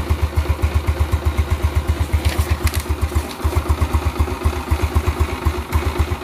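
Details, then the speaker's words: 2009 Yamaha Mio Smile scooter during restoration, after the carburetor and CVT were cleaned and reset: light, even single-cylinder idle at about four beats a second with no knocks or misses; healthy idle. "Well, the sound is light, friends, yes, this is the sound, ah, light"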